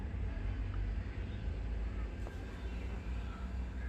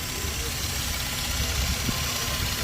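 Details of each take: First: Toyota Land Cruiser: a low rumble, then steady cranking at about four beats a second that never catches. It cranks but won't start; cause suspected, not confirmed. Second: Toyota Land Cruiser previously cranking without starting, fuel pump tested: engine catches and holds a steady, even idle under background noise, no knock or stumble; sounds healthy.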